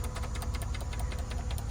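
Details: 2002 Acura MDX after an ignition switch replacement for intermittent electrical faults and stalling: steady, even idle with a smooth low rumble, no cutting out when the key is wiggled; running cleanly.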